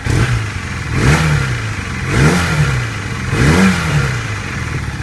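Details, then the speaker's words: 1982 Honda CB450 twin after carburetor balancing and a test ride: three clean revs returning to steady idle, running well, though a slight popping on the right side suggests a possible air leak, maybe at the exhaust. "Okay, as you can tell, it is running. It's running pretty good."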